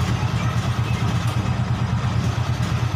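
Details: Honda Beat ESP (fuel-injected) scooter at idle, lumpy uneven misfire, possibly from a fouled wet plug; stumbles badly and dies when throttled, yet no MIL blink code; owner suspects TPS, fuel pump pressure drop or clogged injector; fuel pressure checked next.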